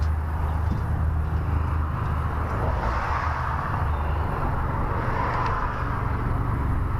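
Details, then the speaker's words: Chevelle that cranks but won't start: steady low rumble of starter turning the engine over without catching; no spark, battery dropping to 10 V cranking and 3–4 V further along the circuit. "Having all kinds of issues here. What the hell's going on? No sparkage."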